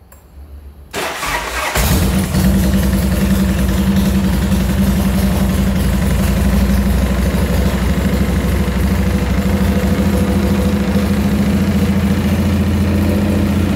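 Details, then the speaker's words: Chicco Jerikho's twin-cylinder motorcycle, first started after its electrical rebuild: an unstable, lumpy idle where the second beat of each pair is weak instead of a crisp two-beat rhythm, a misfire later traced to the module on teardown. "Jadi dia nggak stabil gitu. Harusnya kan dua tuh, taktuk, ternyata dia cuma satu gitu. Cuman yang kedua tuh agak-agak lemah gitu."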